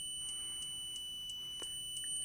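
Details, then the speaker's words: A low-cost multimeter (not the Parkside DM300 C3) on continuity test: a thin high tone broken by sharp clicks about three times a second as the meter samples, a chattering buzzer instead of a solid beep, which can mislead. "and depending what your testing that could give you misleading results so you never want to hear that clicking noise you always want the continuity to be as solid beep"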